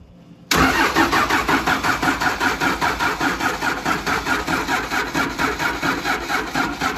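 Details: 1953 Mack A40 with a 24-valve 5.9 Cummins swap, injector lines cracked to bleed, weak batteries boosted by charger and jump pack; even cranking about four beats a second with steady compression pulses, never catches; cranking no start, cause unconfirmed.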